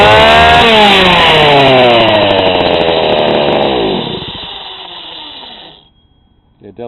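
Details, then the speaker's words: GoPed GSR40 two-stroke with 603 carb and TGN manifold on the bench: it revs up, then burbles and gurgles at the top instead of screaming clean. The high-speed mixture is too rich. "sounds pretty rich you get that gurgling sound at top speed instead of revving really high"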